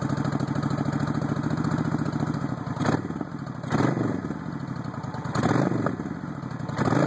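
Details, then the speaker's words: 1996 Suzuki VS1400 V-twin motorcycle started cold after cleaning, idle turned up: uneven idle with occasional pops and surges about every second, popping persists while cold. "turn the idle up a little bit it's kind of cold a little bit of popping still there but idle there it is"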